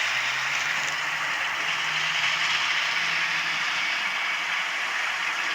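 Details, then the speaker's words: Atlas Cotton Belt RSD-4/5 model locomotive after rebuild, unused for years, running on track: thin steady whir with a faint low tone, a dry stiff motor whine; commutator suspected to need lubricating, or just a run-in. "try that now sounds like the commutator needs lubricating on this"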